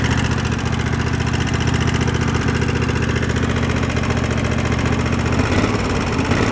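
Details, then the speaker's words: Two-cylinder engine, previously running on one cylinder, after idle speed and air-fuel mix adjustment, at low idle: steady light clacking on each firing pulse, about three or four per second; valves clattering on one side. "with idle I turned that down got that tweaked in seems pretty good but you hear the vows clapping away on that side"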